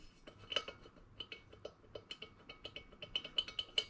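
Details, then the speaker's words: 1959 BSA C15 Star single engine, valves dropped through the guides during rebuild planning. Irregular metallic clinks show a lot of slop, so the guides are worn and new ones will be fitted; the inlet valve is also marked. "Quite a lot of slop there. So we will be jumping in for new guides."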